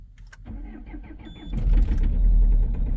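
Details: 2.0 HDi diesel cold start at -11°C after glow-plug preheats: brief crank, then a loud, rough, clattering knock; owner reports heavy knocking and vibration building after start, cause unknown.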